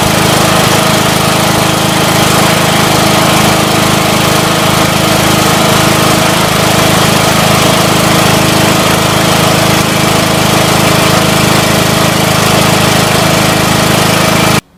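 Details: Scotts John Deere 1742 with 17 hp Intek engine after head gasket replacement and valve lash adjustment: loud, steady full-speed running with no knocking or misfire; normal running, problem appears solved.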